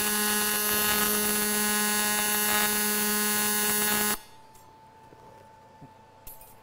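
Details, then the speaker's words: ESAB TIG welding scrap aluminum plate in AC; steady harsh buzz and firm low hum for four seconds, then clean cut-off, from AC polarity switching; normal AC TIG arc. "The sound difference is because we are welding now in AC, or alternating current."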